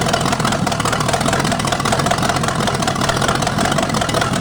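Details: 1973 Chevy 350 small-block with big cam and fuelie heads, on the stand with open exhaust: loud, steady, even rumble with no knocks, ticks or misses; idles smoothly, though the oil pan leaks at the front.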